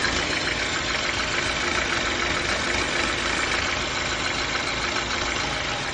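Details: BMW N43 petrol engine idling with a faint, loose knock about three times a second over a hissy idle; source of the knock unclear.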